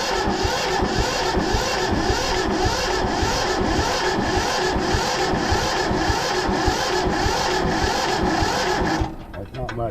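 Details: Free Yanmar 1500 two-wheel-drive tractor that wouldn't start, cranked with injector lines loosened to check fuel pressure: slow, even cranking about 1.5 beats per second, no firing; turns over but won't catch.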